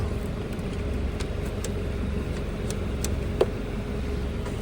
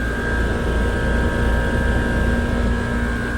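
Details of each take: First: Trane communicating system, no-cool call with ERR126.00 code and tripped outdoor breaker: compressor 1 hums steadily without starting, locked up, likely what tripped the breaker; cracked hard start kit present, compressor 2 works. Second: Trane communicating outdoor unit (ERR126.00 no-cool call, breaker had tripped) running compressor high stage at 15 A on 240.5 V: steady deep hum with a constant mid-pitched tone and no knocks or rattles.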